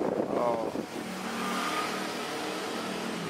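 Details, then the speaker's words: Desk fan repaired after a no-power fault, thermal fuse checked with a multimeter: at speed 2, a steady, even whoosh and smooth motor hum with no rattle or scraping; normal running. "Oh, ini speed 2 tambah kenceng. Seperti ini."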